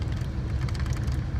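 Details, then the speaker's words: 1978 GMC Diplomat Class C motorhome engine after dual fuel tank switch short repair, on right tank, throttle pumped, switch wiggled: steady low drone, no stumbles or cut-outs; previously would die, now runs normally. "Pump the throttle a couple times. And it is still running."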